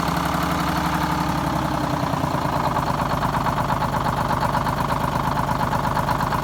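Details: 74-year-old Greyhound bus diesel, started after fuel feed work to injectors and new start-stop box wiring, checking for leaks: steady, even clatter at idle with a regular beat, no misses or knocks; running normally.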